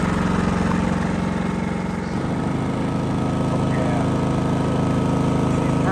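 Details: Genmax GM7500 iAED dual-fuel inverter generator on low idle, no load, right side at about 10 ft, 66–68 dB; run 9.5 hours without issues. Steady, even low drone, no knocks or surging; normal low idle.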